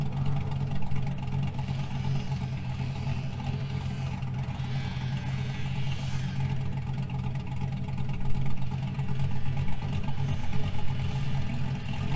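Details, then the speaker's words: 2000 GMC Sierra 5.3 V8 with Texas Speed Stage 3 cam (.550/.550, 216/220, 112 LSA), back on its proper tune rather than the stock tune: deep lumpy idle holds steady, started perfectly and didn't die in gear; normal idle. "You could hear it started up perfectly, put it in gear, didn't die, didn't have to mash the gas to keep it running."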